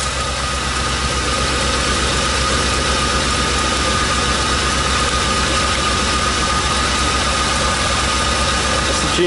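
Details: Van engine, cold, just jump-started with a NOCO GB30 lithium jump pack on a 30-degree morning after the tired battery died from sitting. A steady, even idle with a constant hum and no knocks or misses; a normal cold idle.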